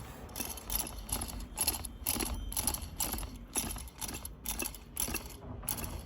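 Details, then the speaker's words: New oil pump for a seized Ford Ranger engine turned by hand: soft rhythmic clicking about twice a second as the internal mechanism turns, smooth without binding; normal oil pump rotation. "but rather than sprinting freely we can hear it actually turning the mechanism inside in the actual pump itself"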